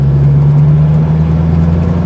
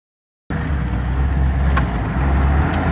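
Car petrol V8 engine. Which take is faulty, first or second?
second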